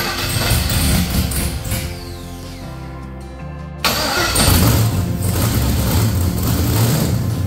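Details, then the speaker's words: 1972 Monte Carlo with a freshly LS-swapped V8 on a bone-stock tune, first start after being off the road since 2016; starter grinds, engine catches and runs lumpy with an unsteady beat. Rough running from stock engine tune. "it's just a bone stock tune on it it's probably going to run like garbage if it starts but let's see fireing the hole fire the hole get away it runs [Music] [Applause] yeah the tune's just too rough"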